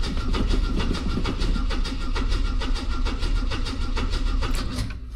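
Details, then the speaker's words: Classic carburettor car from a long-stored collection, choke on, new fuel pump: steady rhythmic starter churning, engine turns over but never catches. No fuel at the carb; pump not yet blamed, float bowl to be checked. "So, the steel don't have any any fuel at the carb, which could be fuel pump, but it is new, so I don't want to assume it's that."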